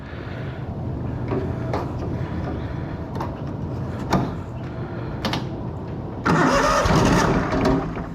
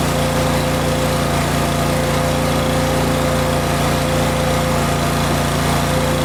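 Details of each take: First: Miller Bobcat 225NT welder/generator with an older Kohler engine, cold: repeated cranking bursts with pauses never catch, because the vacuum fuel pump does not work properly until the engine warms; an electric fuel pump was fitted as the fix. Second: Older Kohler engine on a Miller Bobcat 225NT welder/generator, fully warmed up after idle control module fix: steady, even drone with constant pitch and no hunting or surging, running smoothly.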